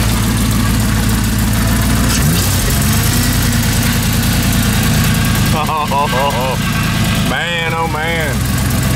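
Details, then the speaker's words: LS V8-swapped Humvee (diesel replaced) just cranked for its first drive, with a mechanical fan: deep, steady V8 rumble with an even beat, no stumbles or knocks, loud intake roar on top; much different from the diesel, running healthy. "man oh man my Tiki girl doing it it's so different than the diesel Wow"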